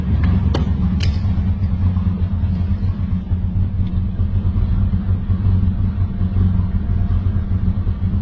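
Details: Lexus IS300 built 2JZ-GE turbo, first start: heavy low idle with shaky pulse and uneven throb, a couple of sharp clicks early on; rough idle.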